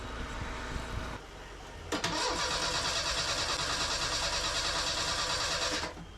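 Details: Merkur XR4Ti after an engine swap, first start attempt with the battery hooked up, a new fuel filter and fuel pressure present. The starter spins at a steady, fairly quick beat for about four seconds and coughs once but never catches. Bad old gas and unset ignition timing are suspected.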